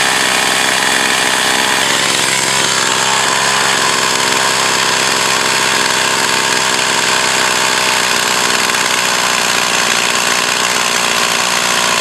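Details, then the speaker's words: Echo CS 4500 chainsaw, long shelved, carb rebuilt, high-speed needle adjusted: it holds a high, even buzz at full throttle through the cut without surging or bogging; it now operates well. "so uh the chainsaw is new for me but now it seems to be a operating uh good to uh to work good"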